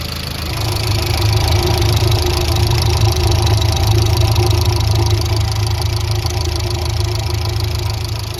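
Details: Chevrolet Aveo at idle: steady idle with a light, fairly regular tapping about three per second over the engine hum; source not pinned down, cause unconfirmed; engine noise at idle.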